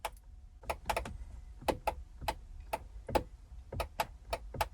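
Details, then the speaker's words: 1998 Corvette C5 under restoration, driver's door. Locks now work after cleaning the grounds and door accordion connector, so there is power to the door. Pressing the power window switch gives only sharp isolated clicks with no motor hum, and the window does not move. Owner suspects the motor needs a jump start. "So there is power getting to the switch, and it's the same with this switch here. If I try it, you can hear it."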